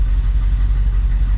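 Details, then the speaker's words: 1980 Chevrolet Camaro V8 idling after start, deep steady even rumble with no knocks or ticks; burning off some oil mess, gauges reading good, though a rear main seal leak persists. Normal idle. "sounds good burn some stuff out got a bunch of nastiness down there all the gauges are looking good in"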